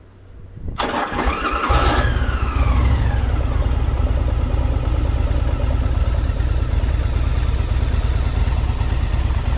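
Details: 1984 Yamaha Virago 1000 V-twin after carb flooding fix and fuel tank install, fuel topped up, no leaks; cranks and catches, settles into a steady even low thump with clean revs; sounds good but owner notes a little backfire.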